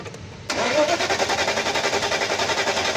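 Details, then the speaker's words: Mercedes S500 (2000–2006 S-Class) that won't start or starts then dies: the starter spins the engine with an even churning rhythm, three or four beats a second, but it never fires. Fuel pump failure, losing pressure; pump and filter to be replaced. "बस full pump डालना पड़ेगा पहला, प्रेशर छोड़ देता है।"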